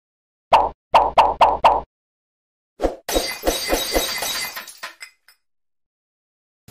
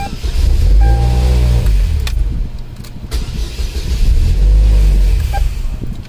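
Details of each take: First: 2003 Chevrolet Cavalier 2.2L Ecotec supercharged, 5-speed: four sharp single clicks, then a quicker run of clicks, with no starter cranking; voltage drop testing points to a bad starter power connection. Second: 2003 Cavalier 2.2L Ecotec supercharged 5-speed, with a current probe on the starter. Two even, steady cranking bursts with no dropouts: normal starter cranking.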